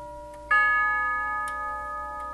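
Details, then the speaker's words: Grandfather clock tube gong struck by a hammer whose leather pad is not too hard: single clean strike with clear steady tone decaying smoothly, no harsh tinny edge; this hammer leather sounds fine. "But this one's not this this leather's not too hard. And this one's not too bad hardness-wise."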